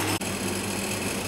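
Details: Condensing unit after its failed condenser fan was replaced, compressor survived: brief click, then an even, steady hum with constant airy fan whoosh; normal running.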